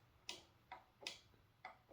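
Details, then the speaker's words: About 7-year-old Neato Connected robot vacuum, bumper button on the edge side: five sharp, crisp clicks under half a second apart in a quiet room; normal bumper switch actuating cleanly. "As it goes around the house, this side is always on the edge, and it's always clicking. You can even hear click, click. Those are nice and crisp."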